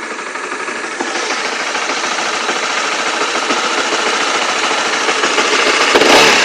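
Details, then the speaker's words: Honda CB/CBR motorcycle after the fix; engine revs smoothly with even beat, no knock or rattle, previous clatter gone; normal revving after fix. "Oke, suaranya normal. Jadi seperti itu. Sudah teratasi suara mesin kelotok-kelotok."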